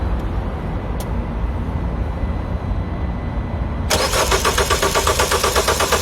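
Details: Citroën DS3 that won't start when cold but starts fine in warmer weather: quiet hum, then steady cranking about three pulses a second that never catches; coolant temperature sensor suspected, disconnecting Valvetronic helped slightly; unconfirmed.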